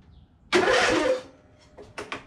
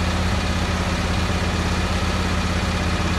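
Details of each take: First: Husqvarna YTH22V46 riding lawn mower with about 230 hours, cranked after jumping a broken wire to bypass electrical faults; a short burst of harsh starter cranking that quickly dies away, starter spinning the engine properly; normal cranking. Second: Husqvarna YTH22V46 riding mower long parked, first start on choke: a small single-cylinder engine chugs unevenly, then its pitch jumps; smoke from the muffler, which the owner suspects is burn-off from sitting, possibly bad rings; rough running after storage.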